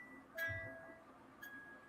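A couple of clear, bright plucked notes ring out over a quiet background; the music box is playing its tune properly.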